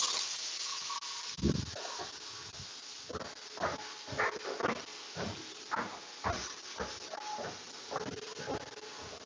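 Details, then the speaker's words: Home pressure cooker used to sterilize aquarium plant tissue-culture equipment, still venting steam partway through its cycle: uneven bursts of sharp hissing, roughly two a second, from the valve; normal venting, not yet dry. "oh I hear it hissing which means we're not dry for a minute"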